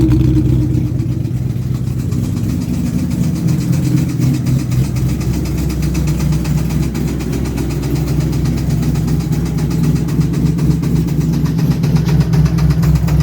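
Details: 2000 Mustang GT 4.6 (forged bottom end, bored .030 over, stage 3 heads, shorty headers) at idle: light, regular tick about four per second. Owner calls it timing chain noise but suspects failed cheap valve guides; unconfirmed.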